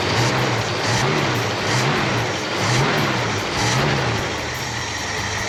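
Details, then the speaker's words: 1966 Ford Mustang that had sat for years, started on 5 gallons of fresh fuel while the pump was not yet delivering from the rusty tank; steady, even idle with a gentle slow swell about once a second, running smoothly before fuel arrived. "Run's pretty nice for not having been started"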